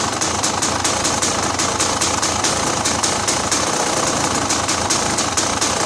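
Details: Model 550 engine idling steady with even quick ticking and no exhaust puffing or popping, after a fallen-out power steering bolt was refitted and everything resealed following an exhaust leak.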